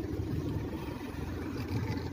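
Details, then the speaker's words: 10-year-old Mitsubishi Pajero with the engine idling, after lubricating inside the steering column with garage-door spray: the wheel turns with no squeak or rub, only a soft, steady idle; the rubbery steering noise is gone. "So now, after lubricating that one, and you will see there's no noise anymore. So that's good. So that's where the problem is. So when you turn the steering wheel, there's no noise anymore."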